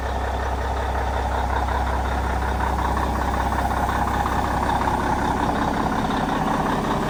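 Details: 1994 International 9600 cabover, N14 Cummins diesel, 561,000 miles, bought as parts or repair, just fitted with fresh batteries: heavy, slightly uneven idle around 160 pulses a minute before dying; keeps shutting off with oil and water light blinking; cause not yet known.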